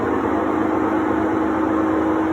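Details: Three-year-old Sears Kenmore top-load washer on spin: loud steady roaring hum with rough grinding edge; owner suspects worn tub/gearcase bearings.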